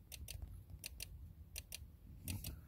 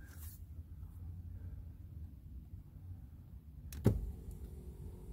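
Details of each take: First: 2008 Range Rover Sport HSE: sharp relay clicks in quick pairs repeating steadily under the driver seat, from a glitching seat control module; seat and mirror adjustments not working. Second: 2008 Range Rover Sport HSE driver seat after fix: connector under the seat unplugged overnight and reconnected, relay-like clicking gone; steady low motor hum with a single clunk as the power seat runs normally.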